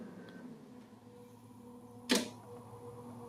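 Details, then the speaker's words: Datou Boss DT4811B 11 kW 48 V hybrid inverter at startup, output coming up to 230 V 50 Hz, battery at 55.2 V, no load: one sharp, solid relay click over a faint hum. Normal relay switching, louder than on smaller units. "Szépen kattognak a relék. Azért hallatszik, hogy sokkal méretesebb, mint ami már megszokott."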